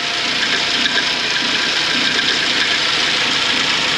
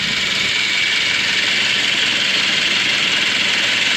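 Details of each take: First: 2006 Suzuki Grand Vitara, 2.0 petrol automatic, 230,000 km, idling: steady hissing scrape from a slack timing chain with broken rollers; it persists with the accessory belt removed, and the chain had been replaced before. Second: 2006 Suzuki Grand Vitara 2.0 petrol automatic, 230,000 km, after timing chain replacement: steady, even idle with light shake (no balance shafts) and smooth hum, no timing chain scraping; normal idle.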